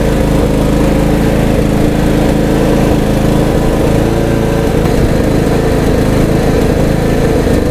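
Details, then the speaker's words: Troy-Bilt Bronco riding mower, long-stored, after carburettor replacement and new battery: small engine runs at a steady, even pace with a smooth low drone and no misses or knocks; healthy after repair. "all right so there you have it the long was running"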